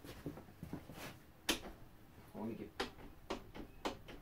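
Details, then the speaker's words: Honda CRF450R/CRF250R (2017-on) during rear shock spring change, shock mounting nut not yet tightened: irregular dull clunks each time the rear end is rocked, play at the loose rear shock mount. "Can you see that on camera there? And you can hear it too."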